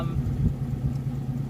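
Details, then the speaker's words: Early-80s Mustang with carburetor, at operating temperature, fixing sporadic stalling (fuel ruled out, spark suspected); in gear idle drops to about 400–500 rpm from about 1,000 in park: deep low rumble, gentle lope, steady without stumbling. "But if I put it into gear as an example, it drops down to, you know, about 400 or so, 500 RPM, maybe a little higher than that."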